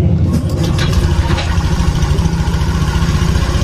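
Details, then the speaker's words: Honda fuel-injected scooter after resetting error code 21 via mode-one procedure: low, even putter settling into a steady idle with no more exhaust popping; normal healthy idle. "dijamin tidak akan meletup-meletup lagi di bagian knalpot dan akan mudah untuk dinyalakan gitu ya"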